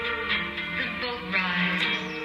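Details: RCA Radiola 61-8 tube radio after derusting, recapping, one marginal resistor replaced and RF alignment: clean, full music with steady vocals and guitar, no hum, crackle or distortion; playing properly.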